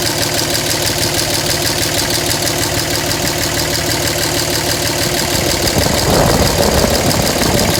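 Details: 2007 Dodge Ram 5.9 Cummins diesel idle, uneven lumpy clatter about three beats a second that wavers; rough for about a month. Intermittent fuel rail pressure sensor, MAP sensor and overboost codes (no boost fooler fitted); owner questions blow-by and exhaust sound; cause unclear.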